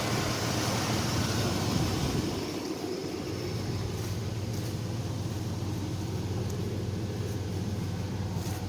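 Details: Chevy S10/GMC Sonoma-type truck after an alternator change, idling as oil pressure and voltage come up: steady, even low rumble with no knocks, ticks or whine; normal healthy idle.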